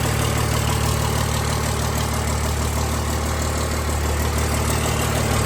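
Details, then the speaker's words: 1000 hp Cummins diesel with hood stack, freshly built, both pumps running, oil pressure good: deep steady rumble, even beat, no knocks or misses; normal idle. "So, we got both pumps running. She's idling good."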